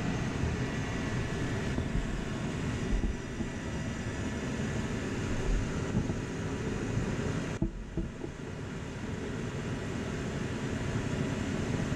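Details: Forced-air heater burner lit by spark ignition after setting pump pressure to about 3.5–4 psi per the spec table: steady low roar, even apart from one brief dip; burner running normally.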